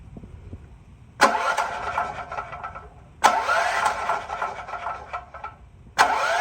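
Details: New Holland 6500 W generator whose engine seized after running low on oil, electric-started after pulling the valve cover over a suspected stuck valve: three starter bursts spin the engine smoothly without binding. It now turns freely but doesn't fire.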